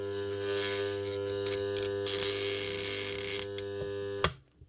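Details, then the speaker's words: Bosch GWS 9-115S grinder armature on test: steady low mains-frequency buzz with chattering rattle until switched off; shorted armature windings magnetize and attract the part, vibrating with the AC. "Because it's shorted, it's getting magnetized and attracted to the armature. And that vibrating noise"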